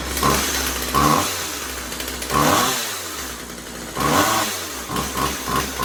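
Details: Husqvarna 36 Special vintage chainsaw after replacing corroded fuel lines and filter and resetting carb high and low screws (previously maxed out) to one and a quarter turns: idles, quick throttle blips rise cleanly and drop back without bogging; running properly.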